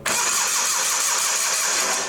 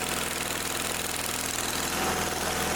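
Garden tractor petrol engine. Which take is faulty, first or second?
first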